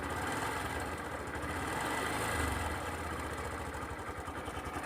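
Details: Sundiro Honda CBF125T motorcycle idling, recorded on phone: quick, steady, loud clattering "ka-ka-ka" rattle about three to four times a second, identified as timing chain noise; rideability unaffected.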